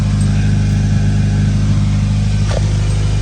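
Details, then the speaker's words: 2013-2019 Nissan Sentra after muffler replacement, idling on jack stands: low, smooth, even hum with no rasp, drone or blowing from the back, no leaks; exhaust quiet and sealed. "All right, guys, it's a wrap. Super quiet now, or as quiet as it's supposed to be. That's how it's supposed to run."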